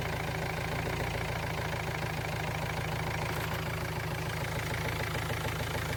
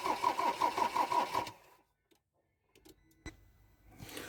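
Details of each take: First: Ford Transit Mk7 diesel after glow plug replacement; it first wouldn't fire because the camshaft sensor plug wasn't fully pushed in, and this run is after reconnecting it. Steady, even idle clatter with no misses or odd knocks; runs healthy. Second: Ford Transit Mk7 diesel after glow plug replacement: starter spins evenly, about three turns a second, for a second and a half without catching, because the camshaft sensor plug wasn't pushed fully home. Crank no start, cam sensor unplugged.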